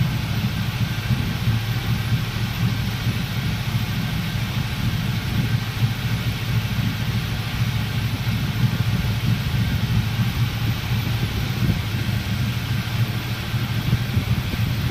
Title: Clueless 400ss induced misfire test